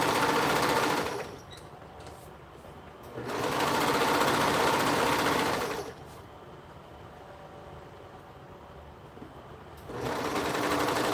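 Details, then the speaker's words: Serger running in fast bursts with a quick, loose rattle over the steady stitching rhythm. Something inside is rattling, source not found despite inspection. "all of a sudden can you guys hear that like weird noise that it's making it's like something's rattling in here and i don't know what it is"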